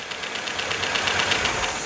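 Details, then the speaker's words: 1977 MGB on its first run in years, with about 60 psi oil pressure and timing temporarily set massively advanced. A fast even tappet rattle rides over a ragged, rough run; the tappets need adjusting and the distributor drive needs turning. "she's tapity rattle we can adjust the tappets"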